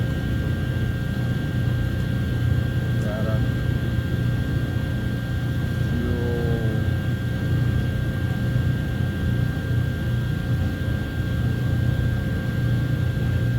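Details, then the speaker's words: 2009 Chevy Silverado 1500 4x4 5.3 V8 idling after replacing the fuel pump driver module, which had water intrusion and caused a cranks-no-start with no pump prime: steady even drone with a faint constant whine, no misses or knocks, normal idle. "well it obviously runs but it was running before with the old fuel pump driver"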